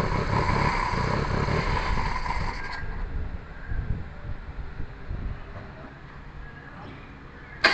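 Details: Perodua Kancil after a carburettor change: uneven cranking chuffs at about three per second that never catch; the engine turns over but will not fire. Owner suspects timing needs adjusting, possibly valves, and checks carburettor fuel spray.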